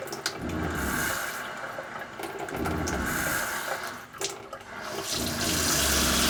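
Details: Everflo EF5500 water pump in 2002 Cougar fifth wheel RV after replacing erratic, failed pressure switch: steady low pump hum under rushing water at full flow, continuous with no stuttering or cycling; problem solved, pump healthy.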